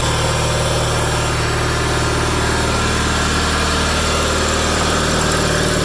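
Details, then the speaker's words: 1987 John Deere 318 tractor, 1200-hour Onan P218G twin (B48G oil pan and starter swapped in), after starter replacement and wiring fix, parked since December: even low chug at steady idle, no misses or knocks; idle smooth and settled. "Idle's down good. Idle's pretty smooth."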